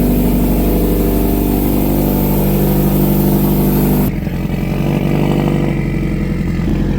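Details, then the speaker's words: 2012 Subaru STI hatch on its first start after an engine rebuild, having sat 9 years: a strong, even idle that revs cleanly and drops back smoothly with no knocks, ticks or rattles, sounding really good. "That sounds good. Sounds really good. Sounds really good. That sounds good as [ __ ] Yeah, it does."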